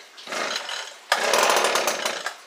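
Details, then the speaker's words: Echo ES-210 shred 'n vac two-stroke after new carburetor, fuel lines and grommet, cold start on full choke: short buzzing burst, sharp pop, then a high raspy burst; it fires and runs, choke then lowered to half, still needs slight adjustment. "that sounded good let's uh lower it down to about half choke"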